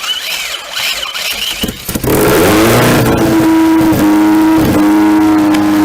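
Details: 2003 Lancer OZ Rally with a swapped 2001 Eclipse 4G64 engine and turbo kit, first start with fresh oil and throttle held open: engine catches after a couple of seconds, then holds a strong, steady raised-rpm tone with no knocks or misfires.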